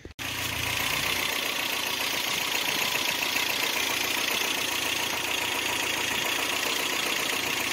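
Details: '88 Toyota Pickup, 22R Aisin-carburetor engine, first start after replacing worn fan clutch (caused overheating at low speed/idle): steady even idle under loud rush of fan air, no knocks or misses; healthy.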